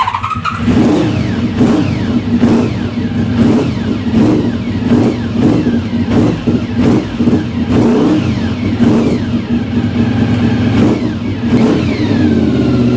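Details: Project engine after long storage, engine catches and settles, then blips up and down cleanly in repeated even revs with no misses or knocks; choke just turned off, a ticking was heard earlier, cause unknown; running fine.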